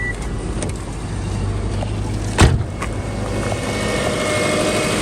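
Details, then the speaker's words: 2007 Subaru Forester at its first start after an engine rebuild for a dead cylinder, cranked first with a sensor unplugged to build oil pressure, not yet warmed up: a smooth, even idle rumble, no knocks, ticks or misses, healthy. "Oh, sounds super good. Purring. Don't hear any loud noises."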